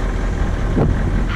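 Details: Caterpillar 3208 marine diesel on boat, after fuel pump installation, sea trial start: deep even rumble at idle, no knocking or missing, raw water flowing, zero smoke; healthy.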